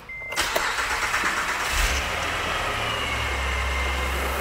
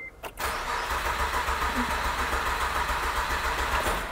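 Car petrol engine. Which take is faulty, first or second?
second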